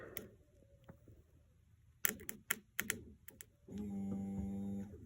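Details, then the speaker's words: 2007 Mercedes-Benz GL450 (crank no start), fuel pump run directly from battery power: handling clicks, then a steady even electric whir that lugs down slightly as pressure rises to 50; pump is good, fuel pump relay only received about 8.8 volts. "Oh, and you heard it lug down. Look at that, we're up to 50, so the fuel pump's good."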